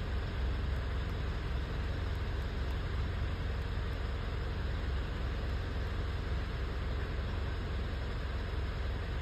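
Deep, low idle with an irregular, lumpy pulse about once a second, the uneven beat of a misfiring cylinder.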